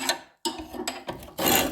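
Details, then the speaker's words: Cylinder mower backlapping: rough rasping scrape in bursts as the reel is turned backward against the sole plate, normal grinding that sharpens the blades together. "You can hear it actually grinding against the whole plate."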